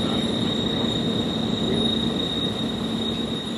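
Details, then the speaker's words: Perforated sheet metal screen in a wind test rig, rotated perpendicular to the wind flow: a steady, piercing, very high-pitched whistle near 4 kHz over loud rushing air, an aeolian tone that becomes consistent. "coming around now you can hear it starting to make the odd squeal get quite consistent you can hear this it's a bit very very penetrating very very high pitched very disconcerting to be to be next to"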